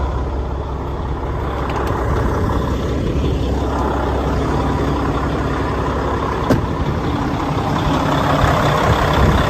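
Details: 2016 Freightliner Cascadia Evolution, DD15 diesel, left running and heard outside at the engine; deep even idle, steady low throb about 170 pulses a minute, no knocks or whine; healthy.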